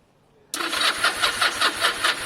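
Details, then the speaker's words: Motorcycle sat stone cold in garage for days, needs choke: starter kicks in then labours with sluggish compression pulses about four a second, never fires; battery is low. "and we know that the battery's low and that's exactly why you do these tests"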